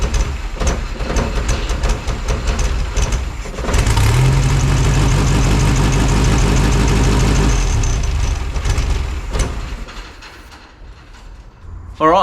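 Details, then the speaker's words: VW Beetle flat-four just rebuilt in a backyard shed, second start attempt: catches and runs loud but lumpy for several seconds with an uneven beat; rough running, cause not yet found. "so it runs I suppose I'm going to find out what's going on"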